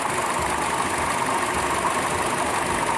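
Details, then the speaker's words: Buick Encore Ecotec 1.4L after valve cover/PCV valve replacement: steady, even idle under smooth rushing AC cooling fan noise, no PCV whine, wheeze or knock. "I don't hear the whining and the wheezing from the PCV valve. This is just the usual fan because I got the AC on."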